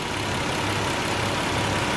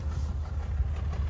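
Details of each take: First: Nissan 300ZX petrol V6 idling smoothly with a steady even hum and no hiccup after misfire repair work; water temperature a little high; fuel filter still to be changed. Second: Nissan 300ZX at idle: deep, lumpy idle with uneven pulse and repeated dips as one cylinder drops out, a persistent dead misfire.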